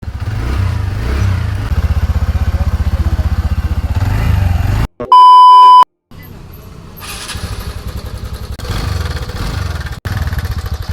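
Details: TVS NTorq 125 fuel-injected scooter at idle, engine sound problem before repair: fast, fairly even ticking about four per second over the idle, pointing to slack timing chain and worn tensioner.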